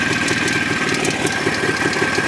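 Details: Jawa 634 two-stroke at idle: sharp knocks repeat several times a second over the exhaust rattle. Ignition is fine, removing the spark plug has no effect and the knock vanishes when riding. Owner suspects the primary chain.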